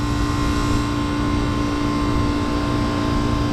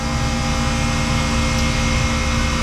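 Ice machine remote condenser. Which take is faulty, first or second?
first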